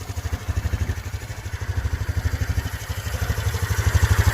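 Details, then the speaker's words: Honda Trail 125 (CT125) with new 164cc Yamanashi piston and cylinder, larger injector, 181cc Takagawa fuel map, first cold start: single cylinder idles with steady, even thump about three beats a second, no ticking or rattle; smooth. "First start, cold. Also loaded up the new fuel map with 181cc Takagawa instead of the 164cc Yamanashi that I actually have. Everything else is a Takagawa setup except for the cylinder and piston. Sounds fine."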